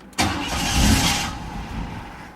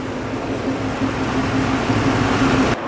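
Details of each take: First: Car after a new battery install, hard to start: the engine catches with a burst, runs about a second, then sags and stalls. The idle air control valve was misadjusted or stuck and needed resetting. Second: Car engine after new battery, previously stalling and not idling, with rusted-through muffler: IAC valve position reset, now a steady, even idle with a low drone, no misses or stumbles; settled and running smoothly.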